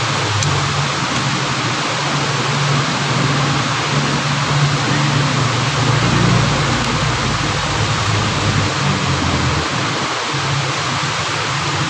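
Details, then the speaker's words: Engine after repairing the loose-ring noise near the alternator and belt drive: steady, even note with no chirp, squeal or bearing rumble, including when revved; back to normal. "Wala na po yung ingay na kumalag singsing singsing na po ah papalabas na to matatapos na ngayon naala na yung ingay ng ahang kal magising na lalo na agag may n- rebolusyon po ngayon normal na normal na po"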